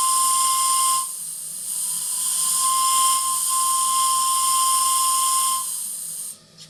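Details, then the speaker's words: RC steam tug Côte d'Émeraude (Stuart D10, 1.5 L boiler) about 17 minutes into the run: a clear, steady high whistle over steam hiss, dipping briefly then blowing strong for about five seconds; the whistle sounds healthy. "Allez, pour la route et parce que vraiment, ce sifflet est magnifique."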